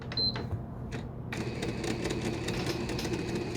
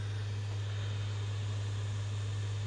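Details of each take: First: Five-week-old PS5 model CFI-1216A disc drive with an object pushed into it, won't load or eject discs: quick repeated mechanical clicking and rattling, about four a second, as the drive strains to load or eject; disc drive jammed by foreign object. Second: Five-week-old PS5 CFI-1216A disc drive after a jammed foreign object was removed. The disc spins up with a steady, even, quiet hum and none of the earlier clatter. Normal, healthy disc spin-up.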